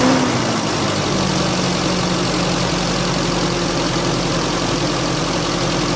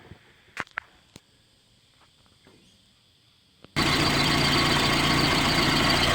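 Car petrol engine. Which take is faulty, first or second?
second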